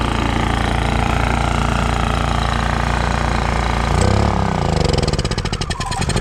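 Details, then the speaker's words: Honda EU3000is inverter generator after carburetor cleaning (previously ran only on choke): steady, even idle, then revs rise and settle smoothly with eco throttle, no surging or stalling; normal idle. "I guess after a minute it just worked. See, eco throttle off, revs up, eco throttle on, revs down, chokes in, shit's working."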